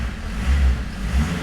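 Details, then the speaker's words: Peugeot diesel with long-term hard starting, after restart, running on engine oil and a bit smoky: revs rise and fall crisply on blips without hesitation or misfire; throttle response much better than before. "throttle was response is pucker really that is so much better than it was before"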